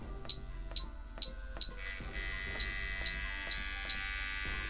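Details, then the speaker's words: Coil liner tattoo machine tuned and running at about 5 volts after a few light taps. It settles into a fast, steady, even buzz with a crisp hit and no stutter. Normal running. "right there so it's running at about a five right now and you could hear that it is hitting exactly how it should"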